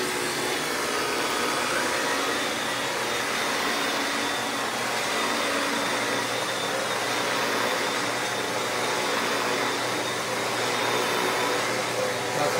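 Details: Shark Powered Lift-Away vacuum with the old, bad motor unit: steady loud rushing whine with a harsh hissy edge and no change in speed; faulty, worn vacuum motor noise.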